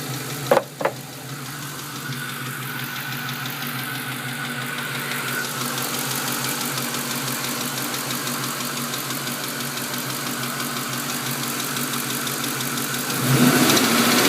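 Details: 2001 Mustang GT V8 at warm idle: a sharp, steady tick of about three to four per second, only when warm, possibly from the driver-side head, loudest underneath near the manifold; cause not confirmed.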